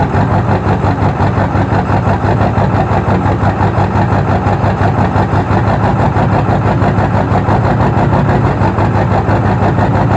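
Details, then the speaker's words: 2002 Ford F-350 Super Duty 7.3 diesel, cold morning start after a hard start blamed on a bad glow plug relay: steady low clatter with an uneven pulse about three a second, rough cold idle that clears once warm. "She'll clear out, and then she'll drive like a champ. But in the mornings when it's cold, that's how she goes."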